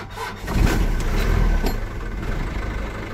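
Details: Mazda T4000 diesel truck, batteries drained to about one volt by a latched headlight relay, jump started with a lithium jump starter pack. Short crank catches quickly, swells into a firm diesel rumble and settles to a steady idle: normal start.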